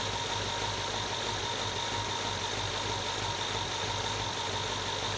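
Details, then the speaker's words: 2011 Range Rover V8 idling just after an oil change: the earlier engine knock is gone, but a light, busy metallic rattle remains, which the owner believes is the timing chain needing attention. "now the noise that's left over i can distinctly hear the rattle of a timing chain so i think this engine probably does need some help in the timing d"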